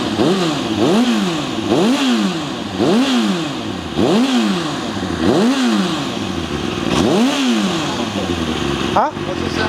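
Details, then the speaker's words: Kawasaki ZXR400 four-cylinder after carbs stripped, jets cleaned, new air filter: throttle blips rise cleanly above about 3000 rpm but turn lumpy and bog at low revs; owner suspects partly blocked idle jets or mixture screws. "it initially sounded like it started on four but then it conked out and when we went to restart it it sounds like it's sort of off running on free revs cleanly if it's above sort of 3000 RPM tight if you give it Full Throttle below that it tends to bog for slight hesitation"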